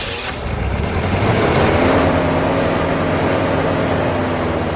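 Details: 1966 Pontiac Grand Prix 389 four-barrel V8, first start since 1992 with fresh oil and carb filter screen removed: rough idle with a quick light tick about four a second, likely valvetrain, plus a little blow-by; owner hopes tick goes away.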